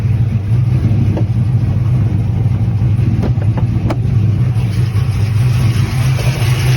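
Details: Pontiac GTO after fixing a no-fuel-pressure fault (only 10 psi before; fuel pump suspected), now with good fuel pressure. Deep, steady low rumble with even firing and no misses or knocks; normal running.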